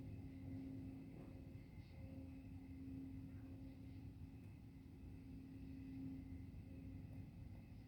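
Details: Distant low-frequency hum from the GM Milford Proving Grounds, over 2 miles away: a faint, steady low drone holding one constant note over a quiet outdoor background. GM attributed it to tree crickets; the source remains unconfirmed.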